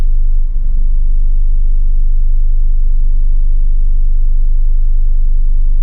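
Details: Hyundai Tiburon idling in Drive or Reverse: RPM fluctuates and drops below 550 under load when the AC compressor kicks in, smooth above 2000 rpm; low uneven wavering throb; rough idle fixed by replacing spark plug cable.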